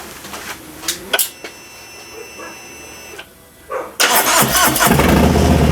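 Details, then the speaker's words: 2018 Harley Softail Fat Bob, Milwaukee 8 V-twin, just fitted Two Brothers exhaust, Stage 1 tune not yet loaded, in garage: fires up into loud, lumpy, even idle with deep exhaust note; healthy. "Sounds pretty mean to me. We'll work on it tomorrow. We'll get the tune in it."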